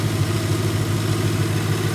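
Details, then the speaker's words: Petrol engine idling steadily after warm-up, with pulleys and timing belt recently replaced; low, even pulse and no belt squeal, where it normally squeaks loudly; owner suspects a slight remaining squeak comes from elsewhere. "The squeak went away. I can't hear it. Normally right now it'd be squeaking really loud."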